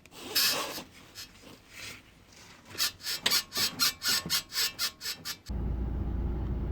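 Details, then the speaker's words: Lada Granta, front left suspension: dry, creaky squeak repeating about four times a second as the suspension works, from a worn front ball joint that squeaks rather than knocks. "сам звук выглядит так вот такой скрипт у нас в подвеске с левой стороны"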